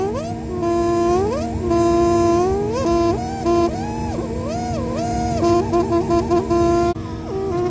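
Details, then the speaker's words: Furnace running with MERV 8 air filter: loud warbling whistle over steady hum from air escaping a specific gap in the cabinet near silicone; to be fixed with foil tape. "But in this case, we've actually got some air whistling out of a very specific spot, which I just found."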